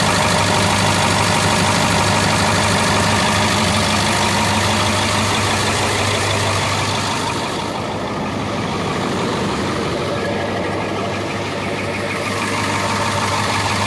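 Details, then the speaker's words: International T444E diesel in a rear-engine pusher bus, started from the rear switch: steady low idle drone with a puffing tick about three a second from several exhaust leaks; owner suspects one weak cylinder, though it ran and drove well. "So we're going to start it up so you can hear this little T444E, and it's got a couple exhaust leaks, but see if you can pay attention. It's going to get loud, but see if you can hear the difference, or if you can pick up on the one cylinder."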